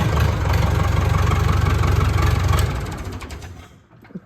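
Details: Massey Ferguson 168 diesel tractor, restoration, after a power steering pipe leak was tightened, PTO not spinning, good air pressure; steady, even idle at about four beats a second before winding down and stopping. Healthy engine.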